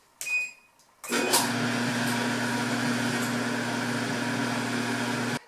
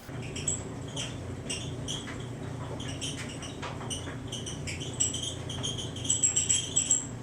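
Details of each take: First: Whirlpool Cabrio WED6200SW1 dryer after replacing the belt tensioner idler pulley (8547174V) to cure loud squeaking: a single control beep, then a steady, even hum with no squeak. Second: Whirlpool Cabrio WED6200SW1 dryer running: loud high chirping squeaks about once a second over the low hum from the belt tensioner/idler pulley, fixed by replacing the assembly (8547174V).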